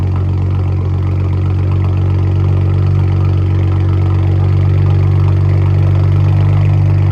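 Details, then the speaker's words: Freshly built BMW 335i N54 twin-turbo six (MMP 53/53 turbos), not yet boosted, engine light on from cleared codes; deep smooth idle with steady burble, no misfire, hunting or ticking; owner says it's idling great; normal idle. "for now, it's idling great."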